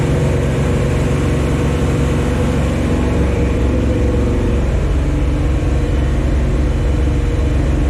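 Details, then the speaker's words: 1974 Chevy Nova with a new Chevy 350 V8, first start: a deep fast idle with an even, smooth beat throughout at break-in speed. Normal. The run was cut short by oil squirting from the valve covers with no PCV valve or breather fitted. "all right well franking over finally runs i'm pretty happy about it"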